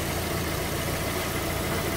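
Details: Fiat Palio, just started after a full service (new engine mount, timing belts, accessory belt, clutch, engine washed): steady, even idle with a smooth unbroken hum, no knocks, ticks or misses, engine healthy.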